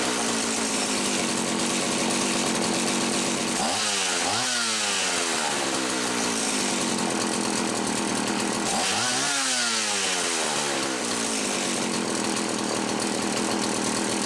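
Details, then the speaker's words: Homelite 360 chainsaw, after repair on the bench: a misaligned carburetor (intake) bushing had caused inconsistent running by letting air interrupt fuel flow. Mixture about 1¼ turns. Steady high two-stroke buzz with two quick throttle blips rising and falling cleanly; normal running. "so with it installed all right you know I'll let it sit I'll give it another cold start but I think this one's good to go"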